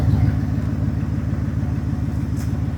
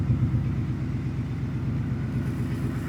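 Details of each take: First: 2019 Ford F-150 5.0 V8 idling with an uneven lumpy low pulse, two cylinders dead: existing cylinder 4 misfire despite new coil and plug, plus cylinder 1 coil deliberately unplugged to verify the scanner identifies cylinders correctly. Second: 2019 Ford F-150 5.0L V8 after fixing the cylinder 4 misfire, idle settling down after start-up: low, even V8 burble with no stumble or skipped beats; normal idle.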